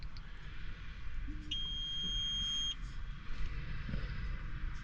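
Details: Idling tractor cab during relay and fuse tracing for the blower motors while the clutch is kicking on. A clean high electronic beep holds about a second and returns a couple of seconds later. The cab warning alarm's cause is unknown.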